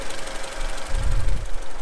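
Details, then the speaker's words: Honda Accord CB7 after cleaning residue off the distributor cap contact point: low, steady idle rumble, no misfire stumble or uneven beat; running really well. Normal idle. "so we cleaned it out and as you can hear running really good looks good it looks new"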